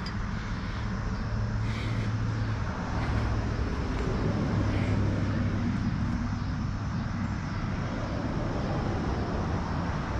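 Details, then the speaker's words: Honda FL250 440cc two-stroke, not yet tuned, throttle improvised: buzzing at a fast, fairly steady idle that never settles; idle sits too high, cause unconfirmed. "see if I can't just get this Idol down a lot more I don't think it's supposed to idle that high"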